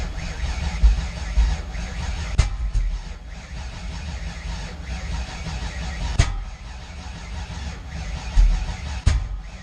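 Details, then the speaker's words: 408 Clevor, first startup attempt on a fresh build with a new throttle body and uncalibrated TPS: engine cranks and tries to catch with several loud pops through the exhaust, backfiring and not starting; owner suspects timing is 180 degrees out. "Yeah, it started backfire through the exhaust. It's probably 180 out."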